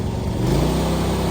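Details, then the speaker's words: John Deere D130 riding mower, 238 hours, restored and without a battery yet: the engine throttles up cleanly to a steady higher pitch with no smoke and no surging, a normal throttle-up. "Throttles up, no smoke, no surging."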